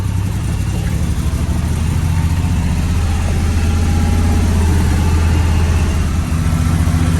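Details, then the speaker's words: 1967 Chevrolet C60 on a C30 frame, engine at idle with an exhaust leak on one side: deep, lumpy idle with an uneven beat and occasional stumbles; definite idle misfire, alternator also stopped charging. "like the thing runs okay there is a definite misfire"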